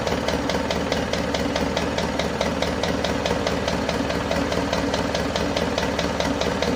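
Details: Isuzu Panther 2.5 diesel just after overhaul with turbo and intercooler upgrade, first run after about two weeks assembled, warming up: light even ticking, two to three a second, over the idle clatter; owner suspects a not-yet-freed top-end part; oil pressure normal.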